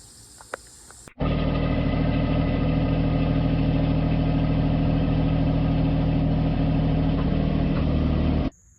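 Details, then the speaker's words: Cheap riding lawnmower, single-cylinder at steady idle: loud, raspy chuffing much harsher than normal; possibly a loose muffler with missing Allen bolt leaking exhaust, before exhaust fix. "Also, this thing is loud and obnoxious, and that might be why."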